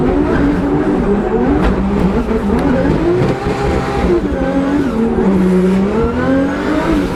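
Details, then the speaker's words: Drift car at Drift Masters final, Warsaw, nitrous off: engine screams at high revs but the note wavers and breaks up at the top, a bad misfire from a cracked spark plug. "Freddy, I'm pretty sure my car is breaking up really bad up top. Like, it sounds like it's misfiring really bad."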